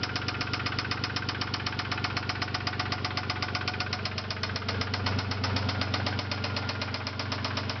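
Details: 1999 Isuzu Amigo S 3.2 L at idle: sharp, regular knock about four per second; owner unsure if valve or rod knock, leaning toward rod bearing, considering repair or engine replacement.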